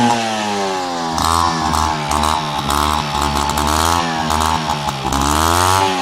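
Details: Peugeot 103 RCX moped two-stroke, first start after full engine rebuild and carb cleaning: raspy buzz revs up and settles back cleanly, even firing with no misses or stumbles; healthy.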